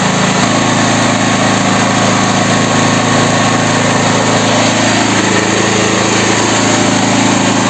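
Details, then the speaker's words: Petrol generator (claimed ~7 kW) that wouldn't start, dead battery, clean carburetor, after quick repair; steady, even single-cylinder putter at constant pitch, no misses or knocks, running like clockwork: normal idle. "работает как часики [музыка]"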